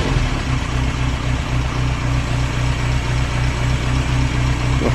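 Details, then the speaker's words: 1930s Morris 8 Series 1 petrol engine, now running from fuel in the tank via SU electric pump rather than temporary funnel feed, after five days unstarted; smooth regular low thrum at slightly raised idle, even beat, no misfire or surging; normal idle. "so that's now running from fuel in the tank which is quite encouraging to speed it up a little bit"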